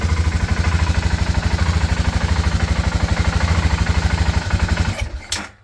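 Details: BMW F650GS Dakar after restoration, first proper cold start after 2 years, oil pressure present: low single-cylinder thump about three per second, slightly uneven, then fades and stalls; throttle reset/learn procedure done next.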